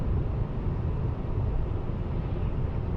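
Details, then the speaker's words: Mercedes E-Class W212 facelift at about 110–120 km/h after taping the lower windshield edge: steady road and wind rumble with no whistle, which previously came from the lower windshield. "wir haben das zugeklebt und jetzt sollte das geräusch weg seien normal bei 210 109 110 120 km hätten wir pfeifen gehabt unten bei der windschutzscheibe"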